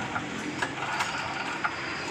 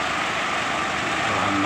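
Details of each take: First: GX-type engine on 7,500 genset, often flooded with fuel, compression normal, after reassembly: repeated recoil pull-start rattles and clicks, engine spins but won't start; carburetor suspected, checked next by draining float bowl. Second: Small 7,500 generator set (GX-type engine) after freeing a stuck carburetor fuel flow from flooding: steady even buzz at constant speed with no surging or sputter; runs normally, CDI and carburetor replaced.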